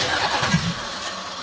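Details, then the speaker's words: 1983 Oldsmobile 98 350 diesel, cranking with starting spray while the engine jumps violently: rough scraping starter whir with uneven catching; abnormal starter noise of unclear cause. "What's up with the starter? I have never heard that starter make that noise."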